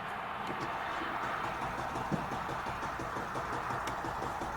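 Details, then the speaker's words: Mercedes GL450, possibly 2009 or 2010, 3.0L OM642 diesel, 131,442 miles, intermittent crank-no-start: starter turns the engine steadily at cranking speed with no firing, cranks but won't start. "The engine cranks, but it doesn't start. Okay, so customer's complaint confirmed."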